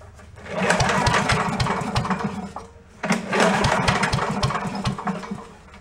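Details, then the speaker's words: Commercial walk-behind leaf blower bought not running, with known carburetor problems: fuel sprayed in gives two short bursts of ragged popping before it dies. Fires only on sprayed fuel, before the carburetor is cleaned ultrasonically. "smell it I heard a little ball fire"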